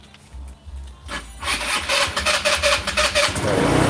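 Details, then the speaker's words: Scooter after carburetor work (2008 Buddy 125 or Chinese 125, new carb), idle not yet set: cranks briefly, catches in about 1.5 seconds, then settles into a quick, even, buzzy idle; normal start. "oh yeah perfect you guys look at that fern like a kitten i did not even set the idol yet did not set the idol yet"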